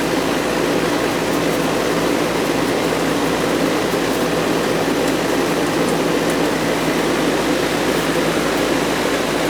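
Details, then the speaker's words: Goodman R22 AC outdoor condensing unit, thermostat set to cool: steady even hum from compressor and fan, no knocks or cycling; running normally, lines cold and sweating. "oh yeah she's coming on nice and toasty here 's a runner stop a Goodman non-stop equipment"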